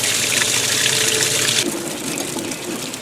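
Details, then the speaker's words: Second Whirlpool Direct Drive washer filling for warm rinse while the other machine also fills; the steady water hiss softens as pressure drops with both filling at once. The inlet valve fills normally. "and there it is this one is also filling"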